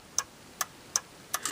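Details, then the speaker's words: 1961 Seeburg AY100U jukebox, electrical selector during restoration: five crisp, bright clicks at uneven spacing as the selector bar behind the switch mechanism is swiveled by hand; normal contact clicking. "that bar swivels back and forth like so hear that clicking that's these contacts right here clipping"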